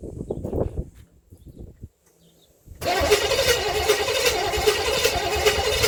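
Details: 1958 Chevrolet Bel Air 4-door hardtop, engine rebuilt at a vo-tech but never finished, first start attempt with 2-stroke gas in the carburetor: after a pause, even cranking at about 160 per minute, never catches. Cranks but no fire; cause not confirmed.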